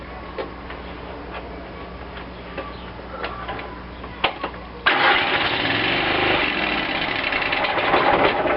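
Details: Cub Cadet lawn tractor after carburetor rebuild, primed with shots of gas: weak, sputtering cranking for several seconds before it finally catches and runs; hard starting from fuel starvation because the new manual fuel shutoff was left closed.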